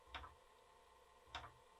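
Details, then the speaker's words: Twin Cumana floppy drive for a BBC Micro, reading a disk: two sharp ticks about a second apart over a faint hum as the head steps repeatedly; it struggles to read that disk. "not able to read that well does this just flip over 100 doesn't like that at all"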